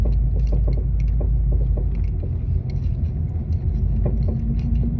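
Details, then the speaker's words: 2015 Ford Mustang Coyote V8 with aftermarket rear suspension (UPR adjustable camber arms, toe links), driving: irregular light knocks about three a second through road rumble from the rear, ongoing a month; cause unclear. "that knocking in the back hang I'm about to go over some dirt yep so that noise yeah all that noise has been going on for about a month"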